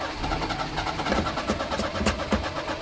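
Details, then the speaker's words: 1988 Daihatsu Hijet mini truck, sat for years, cranking on a jump box: ragged half-firing pulses that never catch, with a strong fuel smell. Owner suspects the fuel pump over-pressurises with no regulator and floods it; not confirmed. "I'm thinking that fuel pump pump is over pressurizing everything cuz I don't think there is a pressure regulator in there and it's just flooding it out"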